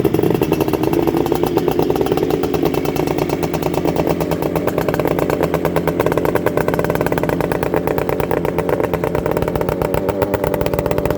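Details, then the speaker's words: Fully restored Suzuki GT200 X5 with a 200cc two-stroke engine, stone cold and not run today, started on choke with the electric starter: crisp, even two-stroke popping at a steady fast idle, no knocks or misfires. Normal cold idle. "it hasn't been fired at all today it is stone cold as you can see the engine is to die for though so i'll put it on put the fuel on choke"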